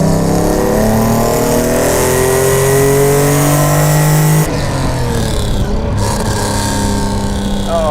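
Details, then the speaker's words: Mercedes-Benz 300 SL Gullwing, recommissioned after years off the road, fuel injection cleaned and set up, warming up on the drive: smooth rising engine note pulling cleanly through the revs, then even cruise; crisp, strong, healthy acceleration. "oh this car is just with the miles that i'm doing in it the suspension is just freeing off it's warming up the whole thing is just really coming alive"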